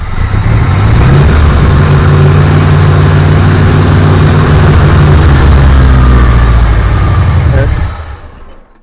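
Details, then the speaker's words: Ford 1972 Gran Torino 351C, not run since November 2021, new starter fitted, after more gas was poured down the carburetor: it fires and runs at a steady, fairly even low throb for several seconds, normal running. "yeah it runs I knew it would run it hasn't run since we haven't had it running since when last uh like November somewhere there"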